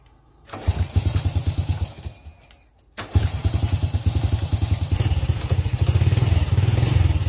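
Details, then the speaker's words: Engine with suspected clogged fuel injectors barely catches and runs rough at low rpm after starting: it falters almost to a stop, then restarts and chuffs unevenly, struggling to hold idle. Injector check and cleaning follow. "ตัวนี้จะติดไม่ค่อยขึ้นนะครับตอนรอบต่ำนะครับเป็นลักษณะแบบนี้นะครับ"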